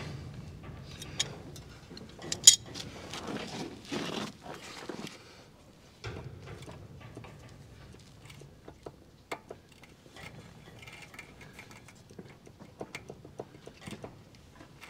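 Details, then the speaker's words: Hand-spun press wheel on a seeding bar gives an uneven, gritty, gravelly rasp with scattered clicks; the wheel is free rolling with play. Owner suspects a gone bearing, possibly the inside one, since the outside bearing looks alright. "<b>Now not sure if the mic's picking it up</b> <b>or not, but it's very gravelly in there.</b> <b>So that's the sound that a bearing is</b> <b>gone or most likely gone."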